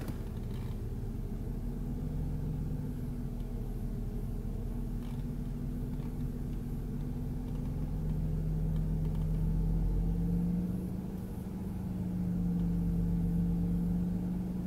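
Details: BMW E46 with non-original crankshaft sensor just replaced, now fitted with remapped ECU; low idle rumble rises and falls slowly, pitch drifting up and sagging, idle hunting persists after ECU swap, also with A/C on; cause not found.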